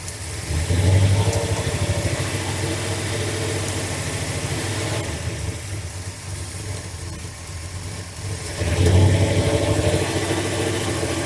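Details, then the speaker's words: Carbureted V8 truck with carb issues, idling while plug wires are pulled one at a time to find the dead cylinder: uneven, loping idle with a lumpy stumble about three times a second and dips in speed; dead cylinder misfire. "come on man let me try these two again they didn't sound right"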